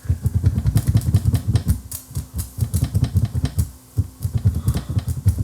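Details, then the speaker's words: Viking SC5894 8-track cartridge recorder stereo, tape paused, volume up, head moved by hand: irregular quick clicks and soft thumps through the speaker from other tracks; clicks are on the tape, likely damaged by another recorder, not the machine. "we're hearing the magnetic information on the other tracks as I move the head back and forth. Those clicks that you hear, they're on the tape."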